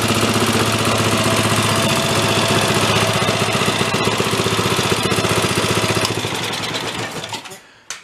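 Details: Ariens snow blower single-cylinder engine, pull-started, after earlier revival: runs steady and even with no misses or knocks, then dies away cleanly at shutdown; normal running.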